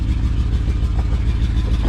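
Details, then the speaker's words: Ford truck running on 7 cylinders and smoking a little: deep idle with an uneven, lumpy beat where one pulse keeps dropping out, a steady miss on one cylinder and a visibly rough idle. "This one, you can hear it. It is running on 7 cylinders, so"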